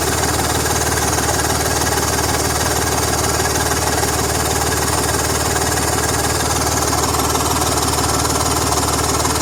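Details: BMW M54 inline-six petrol idling, with a fast, steady ticking puff over the engine note from an exhaust leak.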